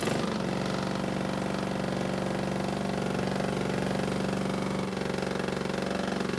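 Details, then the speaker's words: Honda mower with blade clutch, started on the table with blades fitted after cleaning and adjustment: steady idle with a dull regular knock on every few firing beats that persists; owner wonders if blades and clutch are involved; later suspected to be a bent crankshaft. "unfortunately it sounds as though the noise is still there and now I have to wonder if somehow the blades and the clutch are involved"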